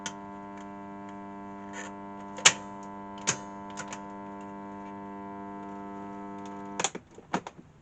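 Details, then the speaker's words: Sound Belle tape recorder at switch-on: steady buzzing hum with a stack of even overtones and a few clicks; smoothing capacitors suspected ("at a guess"). "well I think we know what the problem is there don't we Al together now smoothing capacitors at a guess"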